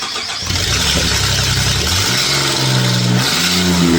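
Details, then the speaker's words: 2017 Ford F-150 EcoBoost V6 on a true cold start after sitting overnight gives a light, quick ticking under the exhaust note that spaces out as the idle drops; the cause is an exhaust manifold leak from snapped manifold bolts. "Did you hear it? Yes. There. I can definitely hear it this morning. As the engine idles down, it gets a little more spaced out cuz it's running slower."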